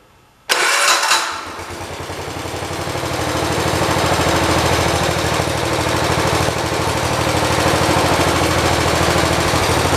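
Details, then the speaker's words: 1973 112 tractor after new points, coil, condenser and carburetor: fast chugging run with an occasional skip, a miss still present but reduced. It misses only when the clutch is pushed and runs well with no load; the plug wire is cut and possibly dry-rotted. "still got that miss, but it's not as bad."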